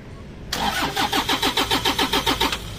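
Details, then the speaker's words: Toyota Innova D4D diesel, injector driver module wiring chewed through by dogs, before new module fitted: starter churns about three and a half beats a second for two seconds, never catches; crank no start, injector driver not working. "mga sir susubukan na kasi namin kakabitan ng bagong module sa injector driver kasi ito yung naputol ng wire sa mga aso Nginatngat ng aso siya"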